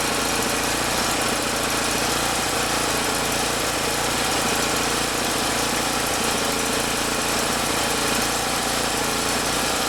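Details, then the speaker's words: Champion generator, after no-start, with carburetor fuel metering part refitted: steady, even chugging in its regular spot under load, no surging; owner suspects fuel distribution issue or bad fuel. "well the generator's in its regular spot under load i don't really hear any surging or anything i think it's running okay now"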